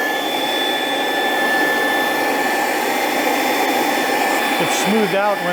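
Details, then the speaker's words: Dumore toolpost grinder, a high-RPM motor, test-run on a temporary belt; smooth, steady high-pitched whine with no knocks or wobble; normal running. "Let's see if we can hear how this thing sounds. It's a high RPM motor."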